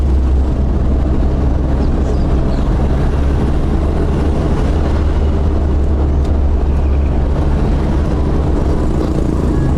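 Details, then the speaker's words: Toyota Lite Ace van, 5K engine, on a test drive after exhaust and intake manifold gasket replacement: steady, even low rumble with no ticking, puffing, backfire or popping; the exhaust leak is fixed and the engine sounds healthy. "so guys y na test drive na natin so far Okay naman siya wala ng exhaust Wala ng tunog wala ng backfire Okay na siya"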